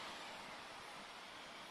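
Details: Dell XPS 15 2-in-1 (9575) barely warm: steady, even rushing whoosh with no rhythm, cooling fan running loud at high speed; loud fan noise.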